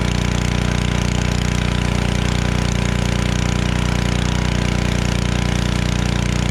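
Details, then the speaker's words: Generac 01292-2 pressure washer after carburetor replacement and pump bearing replacement and new oil, running with water: loud steady engine drone with even regular pulse, no knocks or grinding; running healthy. "All right, it works. Got my truck all cleaned up."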